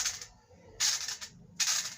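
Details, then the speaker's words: Monoblock water pump motor, bearing checked by spinning the shaft by hand; short dry gritty hiss fading as it slows; rear bearing is rough and will be very loud when running; front also faulty, so both bearings and the seal need replacing. "जब ये pump चलेगा तो इतना तेज आवाज़ होगा कि आपको एक गली इस तरफ और एक गली इस तरफ, एक गली आपकी, ठीक है, तीनों के अंदर पूरा शोर रहेगा इसको चलने से, ठीक है।"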